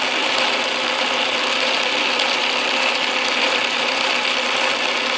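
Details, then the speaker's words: Atlas Craftsman lathe carriage feed gears running after shimming the tumbler gear bracket to close up tooth clearance: even busy whir, only faint light rattle, much quieter than before; normal gear train running. "I think it's quite a bit quieter if you listen to this uh lathe in other videos it was making quite a strong racket I don't hear any substantial sound I hear a little bit of rattling"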